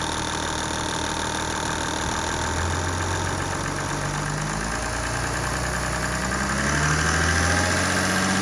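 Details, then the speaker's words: Audi A8 3.0 TDI (210 kW, about 50,000 miles) at idle: a steady tick about three per second with a faint whirring on top, from the alternator belt tensioner pulley, which needed replacing. "which I think might be an easy fix the tension pulley for the alternate generat probably need replacing"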